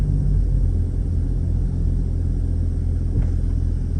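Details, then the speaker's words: 2007 Mercedes SL55 idling in gear at a stoplight, about 675–750 rpm, after new Creative Steel Elimvibe engine mounts replaced failed upgraded mounts that caused rattling. Deep, smooth, steady rumble with no rattle or buzz. "Well, I only want to hear my exhaust notes. I don't want to hear the car vibrating. >> Oh, that was very pleasant, I got to say."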